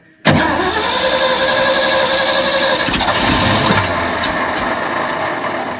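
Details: Abandoned 1970 Ford F600 U-Haul truck that sat about 30 years, getting gas with butterfly held down: uneven cranking near 2.5 beats a second for six seconds, never picks up; cranks, no start. Starter solenoid then found smoking.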